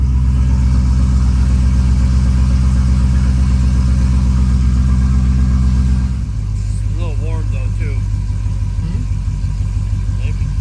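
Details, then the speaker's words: Boss-built V8 hot rod after installing CNC Boss heads, Boss Racing cams, new chains and guides; possibly still partly warm. Steady deep idle with an even rumbling beat and a slightly deeper throat, no knocks or ticks. Normal idle. "What do you think? A little deeper throat."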